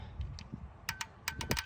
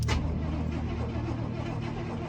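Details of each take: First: 1989 GMC Suburban V1500 4x4 left sitting since about 2006, key cycled with engine off after throttle-body injectors swapped in (old O-rings and gasket reused): a few crisp light ticks; injectors clicking normally. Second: 1989 GMC Suburban V1500 4x4 left sitting since about 2006, first start attempt on a possibly weak battery: slow, steady starter churn with no firing at all, no fuel pump heard; cranks but won't start.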